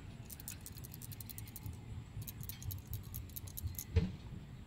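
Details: Honda Ridgeline with code P1659 whose throttle would not respond or rev past 3,000 rpm: faint, rapid, regular ticking chatter from the throttle actuator relay over a low hum. The relay is faulty; replacing it and resetting the code fixes it.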